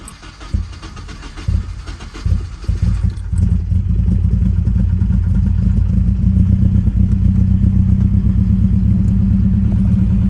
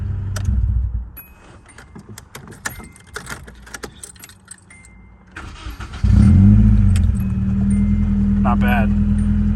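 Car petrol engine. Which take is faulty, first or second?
first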